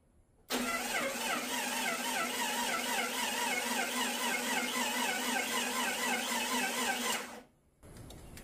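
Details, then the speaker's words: Jeep 4.0L inline-six being cranked with the starter to circulate oil after the build, fuel pump just replaced; steady cranking with a slight step in the beat, one compression stroke lighter, so one cylinder has a little lower compression than the others. "it sounds it's it's got a little bit of a step to it you know what I'm saying yeah so like one cylinder has a little bit lower compression than the others"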